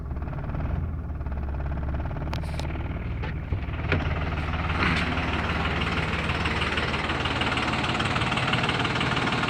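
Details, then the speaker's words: 2003 Dodge Cummins diesel running rough, shaking hard enough to vibrate the bumper grille, barely revving at full pedal; misfire, injectors tested good, dealer suggests a possibly bad computer. "Anybody ever seen a diesel run like that? The truck is actually shaking pretty hard. See, my bumper grill is vibrating. I'm flooring the pedal right now, and it's just barely revving."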